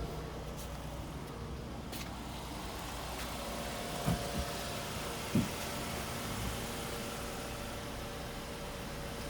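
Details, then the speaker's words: 2005 Ford Mondeo LX that was burning oil (owner suspects stuck oil rings), just after an oil change with flushing oil added: idle is low, quiet and smoother with no smoke. Normal idle. "Sounds loads smoother. So I've just changed the oil and put some flushing stuff in it."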